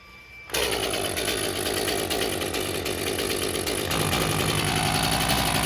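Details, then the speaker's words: Echo CS-355 chainsaw that won't rev to wide open: fires and runs with a dull, smothered, muffled burble, no crisp pop-pop, never clearing out; spark arrestor screen found badly clogged. "she's all butt clogged up so you can clean this or if you los"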